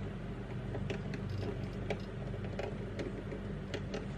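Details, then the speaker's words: Traxxas TRX4 crawler with a D1RC x Hobbywing Fusion 1800KV brushless motor at very slow crawl: no motor whine, only soft gear clicks and drivetrain rubbing, unlike the humming, torque-short brushed motor at low speed; normal. "ada hanya suara dari gesekan-gesekan gitu aja umroh motor berasap sudah pasti tidak akan bisa berjalan sepelan ini ombro ya"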